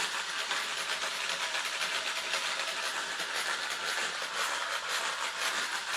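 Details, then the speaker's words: T2M Black Pirate MT RC truck, new, before its first runs: very pronounced metallic rasping rattle, pulsing about twice a second over the motor whine, only at low speed; will check after three runs whether it wears in or stays. "va l'appeler le cochon d'ind bruit métallique très prononcé mais que à bas régime on verra ce qui se passe au bout de de trois run si ça s'est gommé si c'est resté"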